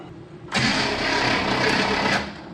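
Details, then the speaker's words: 1967 Chevrolet Impala, 283 V8, Powerglide, sitting since 2005, cranking with all spark plugs out: fast, uneven, strained whirring with no compression beats; engine feels tight, starter motor suspected failing. "Let's see how it turns over with all the spark plugums out. Still doesn't sound good though."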